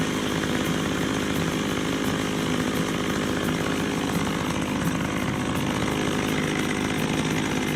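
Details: McCulloch 610 chainsaw, after carburetor cleaning, at wide-open throttle with the high-speed screw set slightly rich of the lean sputter point: a steady high-pitched scream, holding speed evenly without sputter or bogging; carburetor set right.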